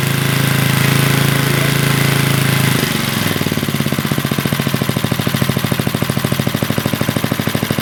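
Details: 40-year-old Briggs and Stratton single-cylinder on a garden tiller, after a carburetor rebuild, with the throttle adjusted because the owner suspected missing linkage: a steady hum gives way after about three seconds to an even chugging beat as the engine settles and keeps running.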